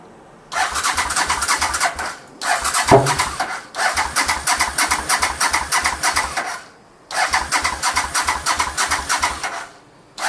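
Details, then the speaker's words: 1985 Honda VT500 after top-end rebuild, choke on, throttle sticking, old spark plugs: repeated bursts of steady starter churning, about three per second, with pauses and no catch; cranks but won't start, owner suspects plugs. "so it does not want to start up I am hearing the engine like it sounds good like it's trying to"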